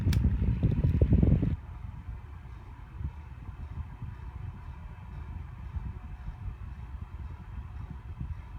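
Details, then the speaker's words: Lasko 6-inch white personal table fan on high: a soft low throb pulsing about three times a second over the airflow hiss, always present; owner suspects unbalanced blades. "that noise that pulsing noise has always been with this fan I think something is unbalanced like the uh blades"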